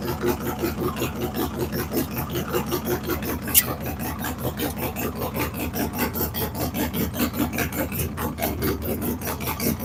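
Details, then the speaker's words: Fresh cam and big-bore V-twin motorcycle build on a break-in run-up: loping, even idle beat of about two to three pulses a second after firing up, no knocks or rattles; healthy. "woo sounds like a muster man that is the last 45 second run we got to do"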